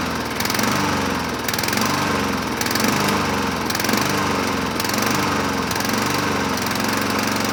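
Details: 2007 Honda HRR2162SDA Quadra Cut mower on first run after freeing a stuck open intake valve (zero compression) and cleaning a crusty carburetor, started on choke; surging rise and fall about once a second over hissy background, running but not settled.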